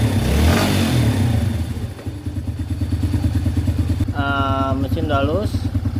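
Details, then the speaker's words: Yamaha Vega R single-cylinder after piston ring replacement for heavy white smoke, test-run with exhaust still off: even, steady putter at idle with no knocks or rattles; engine smooth while idle settles. "sudah halus, tinggal menunggu sampai putaran idle-nya stabil. Tidak ada lagi suara-suara kasar."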